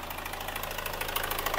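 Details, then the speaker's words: Newly overhauled Hyundai Grand Starex diesel at first start, revved slowly: rapid even ticking over the engine, not fuel knock but hydraulic valve lifters starved of oil pressure; possible oil pump problem, noisy timing chain, ticking quiets once oil reaches the lifters. "Hindi po yan fuel knock, mga kapatid. Nakakatakot kung tutusin kapag sa unang start mo, ganyan ang tunog. Yan po ay valve lifter."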